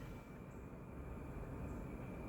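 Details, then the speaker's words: EMI mini split heat pump indoor unit switched to fan mode at full speed, 55°F outside, airflow seemed weak: steady, even rush of air with a faint thin whine, no wobble or rubbing; normal blower operation at full speed. "I'm going to switch it to fan and then you have fan control right there and yeah it's on full speed so you can hear it"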